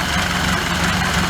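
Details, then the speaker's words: Ford Model A just timed with the Nu-Rex Nu-Wrench, spark fully advanced: steady, even idle with smooth low beat and no misses; sound changes noticeably when spark is retarded; normal running. "and then fully reart it again you'll notice that this defined difference in the sound and the way the the engine acts because as it's advancing the point at which the spark plug fires is different in the stroke"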